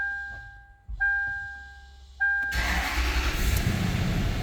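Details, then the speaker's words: 2003 Toyota 4Runner V8 after water pump and timing belt replacement (Aisin kit), used battery fitted: dash chimes, short crank, catches first time and settles to steady even idle, no misfire or knock; normal start. "oh perfect oh we got maintenance requ required got to figure out how to reset that light but started right up first time awesome that sounds good"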